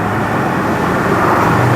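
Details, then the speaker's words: Land Rover Defender 110 diesel project truck on its 220-mile drive home after Forte diesel additive, window and vents open, pulling through 40 and 50: steady even drone, earlier high tapping at top of rev range now much quieter; luggage rattles in back; normal running under load. "That's 40. That's 50. I think that's a lot quieter, I really do."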